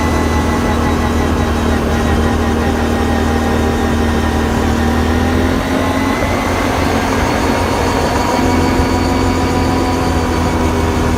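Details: Can-am Renegade 570 quad, bought with 1000 km, steady whine rising and falling with speed at 30-60 km/h under steady throttle, present since purchase; cause unknown.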